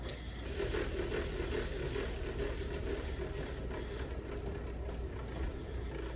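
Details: 38-inch Fasco World's Fair model 948 ceiling fan from July 1982 run on high: loose uneven rattle and scrape with a rough wobbling beat about twice a second, shimmying badly; flywheel pretty much done for, bearings terrible.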